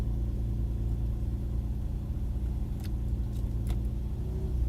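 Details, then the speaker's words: Infiniti G35 at idle: low rumble with irregular sharp light taps, and a shudder when put in gear; clearly heard in the engine bay; owner suspects an exhaust leak at the passenger side behind the engine, unconfirmed. "You put it in gear. You can feel a shudder in the car and that tapping sound."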